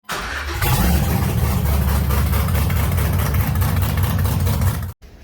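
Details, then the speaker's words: 2014 GMC Sierra 4.3L LV3 V6, 220,000 miles: rough uneven idle, low exhaust beat stumbling every few pulses; misfire code, cylinder one misfiring. "uh but you if you can hear that it's got a misfire misfire detected code"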